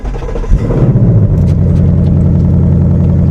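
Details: Copart salvage car, 61,000 miles, with only one side undamaged but still starts, runs and drives: catches after a short crank and settles into a smooth, even deep idle with no knocks or ticks; sounds healthy.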